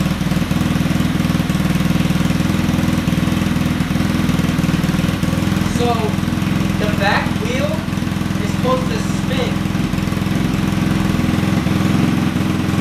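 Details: Honda Ruckus scooter, possibly with a GY6 motor, hard starting; after idle adjustment, quick slightly uneven putter at idle without stalling; owner says it must go through a cycle first, not perfect yet.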